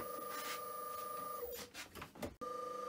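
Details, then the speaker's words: Myford three-phase lathe motor, resilient mounted, run on VFD; quiet steady hum, different frequency signature from the 50 Hz-dominated single-phase motor, possibly due to the VFD, both very low noise. "this has a in this case maybe because of the vfd but at least a different signature albeit both are very low in noise level"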